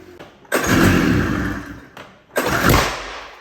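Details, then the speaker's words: 40-year-old snowmobile two-cylinder, carb idle and mixture screws reset to factory: two sharp bangs on throttle blips, backfiring from one cylinder. "oh poop well that's something it's backfiring out of the one don't know why you have to figure it out"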